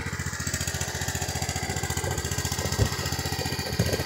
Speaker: Yeah, the sound of it sounds like running rich.